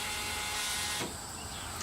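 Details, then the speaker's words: John Deere 5065E tractor that won't crank, battery already tested good: a constant electrical buzz from the starter area with no cranking, stopping when the key is turned off. The switch is engaged but no power reaches the starter. "we go okay so that explains the buzzing sound so we were we were still turned on so the the switch was still engaged but we were not getting any power to the starter"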